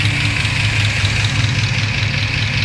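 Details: Chevrolet Tahoe V8 with newly fitted headers, before exhaust shop work: steady idle with a light, quick ticking over the exhaust note, in step with engine speed; lifter tick.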